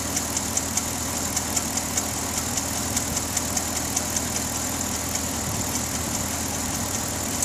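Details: 2009 Pontiac G8 GT at idle: light, sharp ticking about two and a half times a second over a steady idle; owner asks whether it is the known G8 lifter tick, not confirmed.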